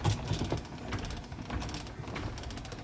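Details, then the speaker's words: Victrola after repairing a gear and pinion broken by overcranking: light ratcheting clicks as the crank winds the mainspring, then a soft, even mechanical run as the turntable spins normally. "And it's cranking. You can hear it winding up the spring. And there it is spinning."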